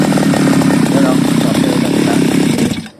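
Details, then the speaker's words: Seaman CG411 two-stroke grass cutter buzzes roughly, then dies within seconds whenever throttle is opened; carburetor needle not working properly or seat worn. "pag nilagyan natin ng accelerator namamatay yung grass cutter natin so yun yung problema"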